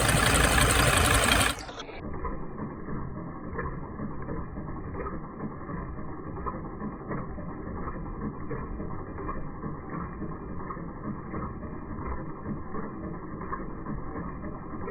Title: 2006 Sprinter ticking sound - again